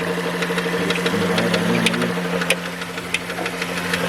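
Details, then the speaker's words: 2013 Dodge Journey 3.6L with 62TE six-speed, raised in the air, running with a steady hum and sharp irregular knocks. Loudest between engine and transmission, toward the transmission, caused by a cracked flexplate with multiple cracks. "so it's loudest between the transmission and engine and kind of pinpointed more towards the transmission almost sounds like there's something in there bouncing around"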